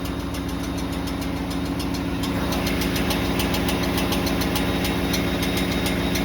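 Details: 2026 Ford F-150 with Coyote V8 at steady idle, light metallic ticking rattle about three times a second; happens when towing a 1500 lb boat or parked on a hill, loose torque converter bolts slapping the divider plate.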